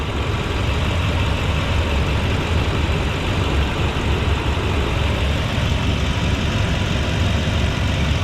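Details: 2001 Toyota Tundra V8 (2UZ-FE), well maintained, timing belt done 10,000 miles ago in 2013: deep, steady idle rumble with an even beat, no ticks, knocks or misses; healthy smooth idle.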